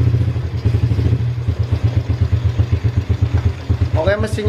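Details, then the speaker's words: Yamaha Vega ZR after replacing the cam chain (kamrat) for a rough-engine complaint: even, steady low idle thump, clean regular beat, no ticking or chain rattle; smooth like a new engine, normal idle. "halus ya Kang Brooklyn YIMM kayak mesin baru mulus gak ada suaranya"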